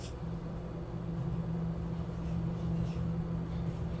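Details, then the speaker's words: Akasa Viper 140mm PC case fan: soft steady low hum with no ticking, rubbing or wobble; high airflow, little noise, normal fan operation. "akasa viper tranquilaço 140mm muito vento pouco barulho é o nível que eu gosto muito ar Porque sem barulho"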